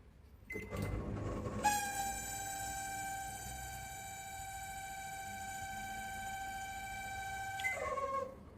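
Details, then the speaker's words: Samsung microwave running: a loud, steady high-pitched squeal for about six seconds, then it slides down as the cooling fan stops. Caused by a faulty cooling fan motor, repairable without replacing parts. "ไมโครเวฟเครื่องทำงานมีเสียดานะครับผมอ่าราษฎนี้เกิดจากมอเตอร์ระบายความล้อมนะครับผมมอเตอร์ระบายความล้อมมีปัญหานะครับผม"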